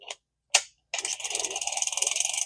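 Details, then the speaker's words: Vintage Shakespeare Tidewater 30GL reel, formerly locked up, after cleaning and greasing with clicker off: light fast even gear whir when cranked, level wind moving back and forth; retrieve smooth. "there and it's working there your level line going back and forth as it should it's nice and smooth"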